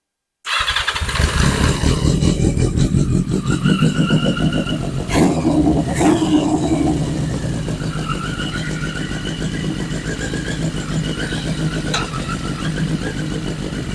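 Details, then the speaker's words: 1981 Yamaha Maxim XJ650, revived after 20 years, restarted: fires right up, steady even beat, no misses or knocks while shifted through first to fourth gear; running fine. "but hey we've got a runner so let's fire it back up I shouldn't have to give it any throttle now so fire it back up and we'll see if it'll kick in"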